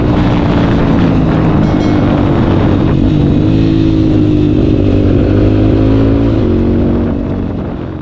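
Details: Big-bore (BRT) CRF motorcycle on a road test after replacing worn primary and secondary clutch gears that caused humming: pulling through the revs with an even, smooth engine note and no rough gear hum; fault cured.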